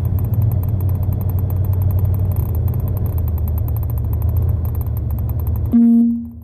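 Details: Engine chugs roughly for several seconds, then cuts out abruptly with a chime; stalled before leaving the parking spot, cause unclear.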